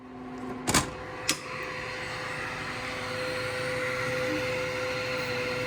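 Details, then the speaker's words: 3D printer auxiliary cooling fans set up in Klipper (hot end fan on GPIO 23), switched on from controls: a couple of clicks, then a soft even whoosh with faint steady hum, no rattle; both fans spinning normally. "So both fans are turning and we have cooling. Excellent."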